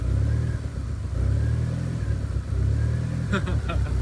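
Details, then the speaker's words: Mitsubishi 4G63-swapped automatic SW20 Toyota MR2 with flex fuel sensor, run mostly on E85 and now on pump gas after the exhaust leak fix: idle rises and sags about every second, nearly stalls. Running lean and surging, needs a retune. "Alright, we need to tune it a little bit now that the exhaust leak is fixed. Yeah, it's surging, lean, ridge. Oh, it might die."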